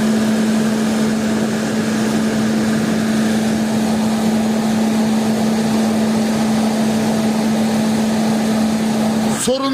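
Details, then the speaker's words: Car engine cooling fan after its motor was lubricated and refitted to cure a metallic rubbing and squeal: smooth, constant hum at one pitch with no imbalance, rubbing or scraping. Fan running normally. "gördüğünüz gibi balans Balas sorunu kalmadı sürtme de yok gayet düzgün şekilde dönüyor gördüğünüz gibi"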